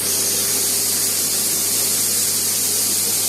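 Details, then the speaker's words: Emotion-24 balneo bathtub air blower, after a connection was tightened because it had been tripping the breaker: steady even rushing hiss with no stumbling, blowing out water; running normally. "Ça a l'air de fonctionner. Ça a craché l'eau."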